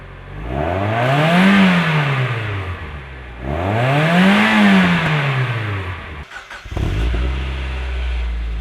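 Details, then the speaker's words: Mazda Miata, stock muffler versus newly installed Flyin' Miata exhaust after fixing a rattle: revs climb and fall twice, exhaust note deep and smooth with no buzz or rattle; clean-running muffler. "so here's a clean recording of a before and after comparison with the stock Muffler and the flying Miata"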